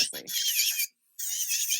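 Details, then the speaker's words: MelodySusie cordless nail drill set around speed 10 while filing: a high-pitched, squeaky rasping whir with a short pause; user wonders if the speed is too high; cause unknown. "you see it sounds it sounds different you hear the sound is different it's squeaky like why does that sound different I don't like that sticky note that noise is it too fast is that why it's doing that"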